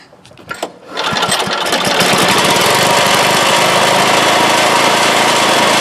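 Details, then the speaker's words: 1986 Craftsman single-stage snow blower after new #35 auger chain and drive belts, cover off: a couple of pulls, then catches and holds a steady, even roar with no knocking or slipping; running normally after repair. "all that really remains is to uh fire it up and see how our new chain is operating and make sure everything's good to go"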